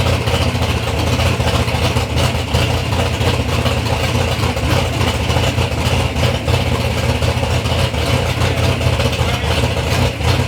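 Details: Third-gen Camaro with big-block Chevy V8, first start-up after years of building: deep, steady rumble holding even with no knocks or misses; normal, healthy running.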